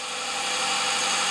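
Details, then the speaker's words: Vehicle started after three months stored in garage, battery terminal just tightened: idle with thin steady alternator whine, charging about 13–14 volts; normal alternator whine at idle. "now let's see what it's charging at you can hear the alternator kind of whine it but it's charging at 13 or something 14 free it just doesn't get any better than that"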